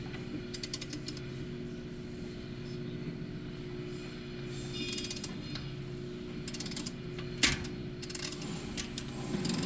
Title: Polaris ranger 570 timing chain not keeping tension, crank no start